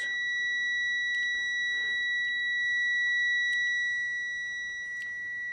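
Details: Multimeter with its probes shorted: a steady high-pitched continuous beep; the continuity tester works normally, though the meter reads about 4 ohms high (4.1–4.2 ohms).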